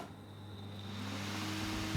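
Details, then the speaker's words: HP 8672A instrument fan after a blade repair, lubrication and reassembly, bench-tested without its cover: a quiet, steady low hum with no rubbing or ticking, plus one bump from touching the table. Runs smoothly. "okay it works yeah it's fine yeah of course we have a bit of noise because it's touching on the table that's running smoothly success"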